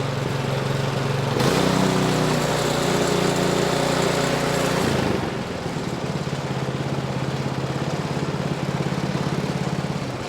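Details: Ariens snowblower with Briggs & Stratton 15C134 engine (type 2143-F8) after carburetor replacement, restarted unprimed with choke then taken off: steady even single-cylinder beat settling slightly after choke off; runs clean and smooth.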